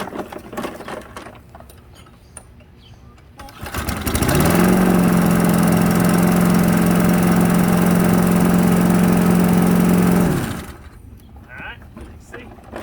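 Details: Non-running push mower that only starts on starting fluid: engine catches, holds a steady fixed pitch about six seconds, then runs down and stops; not getting fuel on its own, bad float needle suspected.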